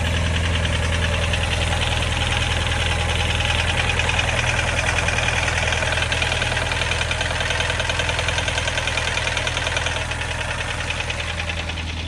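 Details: Subaru Impreza STI idle test: steady idle with a fairly even light knock about three per second over the engine note; owner suspects piston slap, not confirmed.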